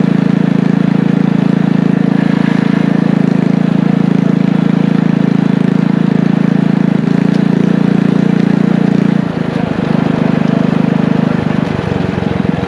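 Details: Single-cylinder engine from an old power washer, fitted with a muffler and a 6.5 HP torque converter clutch, driving a tricycle on a ride: steady drone shifting with load, no slipping or hesitation; picks up well, runs normally.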